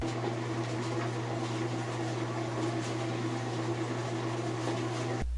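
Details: Whirlpool top-loader after resetting the displaced skate plate under the drum: steady even hum with smooth low drone, no knocking or scraping; normal spin cycle.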